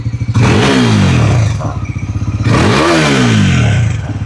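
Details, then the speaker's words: Bajaj Pulsar NS400Z after one year, revved at standstill: two throttle blips with faint buzzy clatter; right-hand side body panel vibrating, stops when pressed by hand, fit-and-finish issue. "एक problem आ रही है कि यहाँ पे एक panel से थोड़ी सी आवाज़ आनी स्टार्ट हो गई, मैं आपको दिखा देता हूँ। तो ये वाला जो इसका पैनल है ना, राइट हैंड साइड वाला ये पैनल, यहाँ से थोड़ी झन्नाने की आवाज़ आती है जब मैं रैप करता हूँ।"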